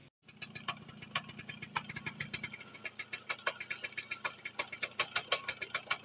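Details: Nova 4-speed motorcycle engine idling: sharp, regular knocking about five times a second from the middle-rear of the engine, from a clutch damper without free play.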